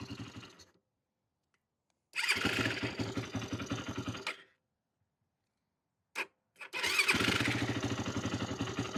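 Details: 2008 Yamaha YFZ450, a pieced-together ATV with the idle turned up: it catches after cranking, runs ragged, dies, then restarts rough while the carburetor leaks badly.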